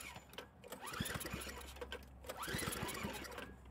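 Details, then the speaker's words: Craftsman snowblower after carburetor cleaning and replacing a deteriorated primer hose, choke on, throttle up, primed: two rope pulls spin it with a quick chattering rhythm but it never fires; fuel delivery being checked. "Something's not right."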